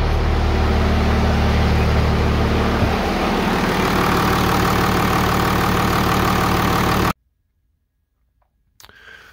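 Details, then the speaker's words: 1998 Dodge Ram 5.9L Cummins 24-valve with VP44 pump, crank-no-start: after the ECM is warmed with a heat gun, the wait-to-start light stays on; diesel starts and settles into a steady, even idle, about three firings a second. Cause is a heat-sensitive faulty ECM. "okay so we got that shut off come in here see that weight start light on staying on"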